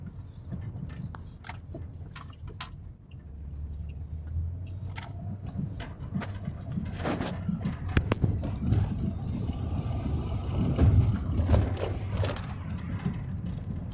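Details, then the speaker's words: 2006 Pontiac G6 driving after wheel hub bearing replacement: low even road rumble, wind noise from a loose metal piece, light rattles, no humming; normal wheel bearing. "That sound you're hearing, like wind coming in, that's from this metal piece. Need to be welded in all the way, but whole lot quieter. You don't hear that humming sound that you was hearing before."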